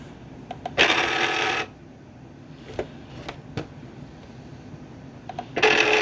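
Two harsh grinding bursts, each about a second long, as the machine tries to load the mat; the feed mechanism is grinding.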